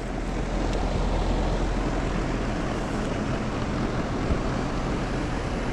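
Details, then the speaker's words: Mobile home outdoor AC unit, tenants report no cooling; only a steady fan whoosh, no compressor hum: compressor not starting, followed by a buzz; dirty condenser coil noted. "All right. Immediately, I do not hear the compressor running."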